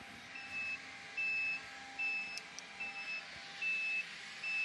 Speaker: both sides and the annoying beep